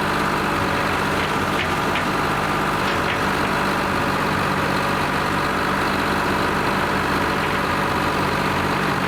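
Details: Lima 34 shovel, just started after a round of repairs, before greasing and digging: steady, even diesel idle with a smooth low drone and no knocks or misses; normal, healthy idle.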